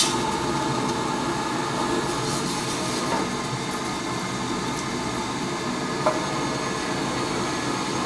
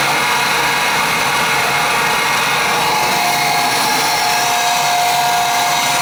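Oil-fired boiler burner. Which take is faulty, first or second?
second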